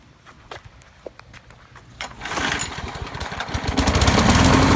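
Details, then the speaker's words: Briggs & Stratton 6.5 HP engine on a Craftsman push mower, model 917.388950, recently serviced with new plug, air filter, primer bulb and pull cord: coughs, catches and runs with uneven, lumpy firing; broken flywheel key suspected, not confirmed; rough running. "when this runs it sounds like it may have a broken flywheel key"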